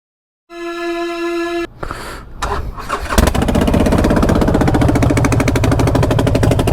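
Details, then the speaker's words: Harley-Davidson V-twin after start-up: loud, sharp, raspy chuffing at each firing pulse from an exhaust leak at the head; both front cylinder exhaust nuts were missing, causing popping under hard acceleration; fixed with new nuts. "what when the paramoto has an exhaust leak that definitely sounds like there's an exhaust leak going on i'm going to check that i was wondering why it was popping so much every time i would accelerate hard"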